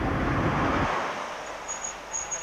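Even tyre rumble on a smooth road that fades away, with no humming note on top; the wheel bearings sound healthy.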